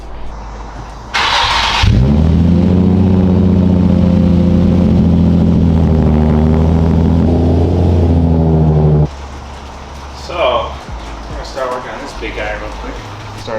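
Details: KTM 500 EXC-F dirt bike, just bought and before oil change and mods: quick start with a brief blip, then steady, even idle thump through a very quiet exhaust; runs cleanly.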